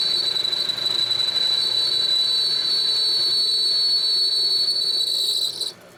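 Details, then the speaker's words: Homemade metal lathe after new headstock bearings and spindle, turning round steel stock: a steady high-pitched ring through the cut that stops when the tool lifts; chatter through the frame, though finish much improved and facing cuts don't ring. "Little bit of ringing with that. That's unfortunate."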